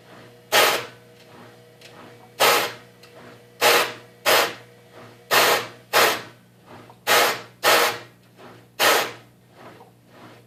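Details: Whirlpool washing machine, model WFC7500VW1, about 2 years old, makes harsh grinding bursts every second or two over a steady hum. It also sometimes stops with 1:00 left in the cycle and won't continue unless rerun.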